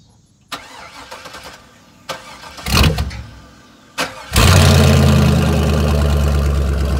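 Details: 2002 GMC Sierra pickup after gas tank refit with new front and welded rear tank supports; a few clicks, short crank, catches at once and settles into a smooth, even idle; normal start.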